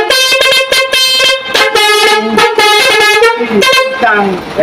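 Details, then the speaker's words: Truck multi-tone air horn: short blasts with a lopsided chord, one note missing because one horn valve is broken; it was removed and the horn reinstalled. "jadi ini suaranya pincang ya karena ini ada rusak satu ini"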